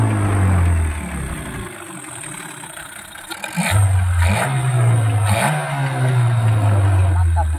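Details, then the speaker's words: Yamaha 15 hp outboard after fixing leaking reed valve and clogged carburetor, shifted into forward gear with throttle released: low steady burble, no longer stalls. Normal idle in gear. "kita akan masuk handel maju kita lepas gas dia tidak mati lagi sama sekali oke jalan terus tidak mati posisi handel maju ke depan"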